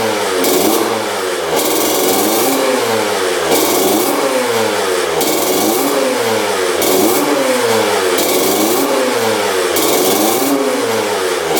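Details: 2000 Honda CR125 two-stroke after fresh 40:1 fuel, idle lowered: sharp throttle blips rising and falling cleanly, no bogging or missing, blue smoke; still slightly boggy on top end when cold.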